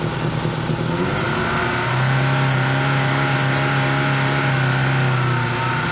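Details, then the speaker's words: Dodge Neon ACR restarted after almost two years off, running lumpy and uneven with a wavering, irregular pulse. The MAP sensor and knock sensor were found unplugged, so fuelling is off and it runs rough. "oh there's no map sensor on it oh my God that's really silly all right nuggets out here my good luck charm I found map sensor wasn't plugged in and my mortal enemy the [ __ ] KNX sensor was also not plugged in"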